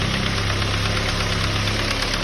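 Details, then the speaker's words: Ford Focus petrol engine idling with a fast, light knock-like rattle. It is not engine knock but loose pieces bouncing inside the intake manifold, found by pulling the manifold off. "now they're bouncing inside of your car inside this manifold right here"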